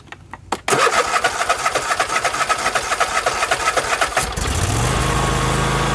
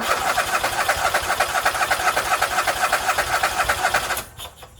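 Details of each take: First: Husqvarna YTH24K48 lawn tractor that cranked but wouldn't fire, after replacing a holed fuel hose: cranks briefly, catches, settles into steady even small-engine idle with no misfire; fixed. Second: Husqvarna YTH24K48 lawn tractor that cranks and cranks but won't fire: steady starter cranking at about four strokes a second with no catch; owner suspects fuel delivery.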